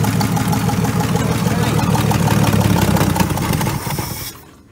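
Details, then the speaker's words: Barn-fresh VC Valiant ute starting after an ignition switch problem was suspected: a rough, loud idle with rapid, raw puffing over the rumble, then the engine shuts off; a massive crack in the exhaust manifold is leaking. "Look at that. It's got a big manifold leak. Yeah. Oh, it's got a big crack in it."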